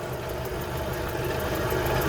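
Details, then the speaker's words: 1998 Honda CR-V with 272,000 miles. Lumpy, uneven low idle that seems to run on three cylinders and wants to die, with the engine light blinking. Misfire and rough idle, cause not yet found. "that was really low it sounds like it's only like firing on the three piston or it sounds like it's missing on one of them and then it wants to die"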